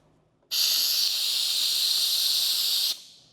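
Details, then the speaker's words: Eastwood QST 3060 scroll air compressor leak check: output valve releases sharp hiss about two seconds then shuts cleanly, closes completely, no leaks. "closes completely. We still don't have any leaks."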